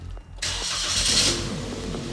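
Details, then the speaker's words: Stock Suzuki Jimny with a snorkel fitted and the factory exhaust, recorded before the exhaust swap: a quick catch, then a steady, even rumble at idle with no misses or knocks. Healthy start and idle. "Oh, hear that rumble. Not very exciting, but this Snorkel does sound exciting."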